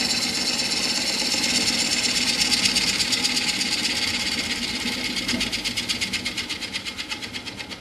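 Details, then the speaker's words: Woodturning lathe, first gentle passes on a blank not yet round with a protruding bump: fast, regular ticking chatter about three beats per second over cutting hiss, tool catching only part of each turn; interrupted cut. "So when you make those first few passes, you can hear that it's not cutting all the way around quite yet. And that's when you can have problems."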